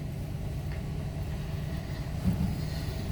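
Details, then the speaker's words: Mercedes W126 just after a DIY ignition coil replacement (plugs changed earlier; it previously hesitated): quiet smooth low rumble at idle, no missing beats or surging; no misfire yet; normal idle. "starting and she's running. No misfire yet."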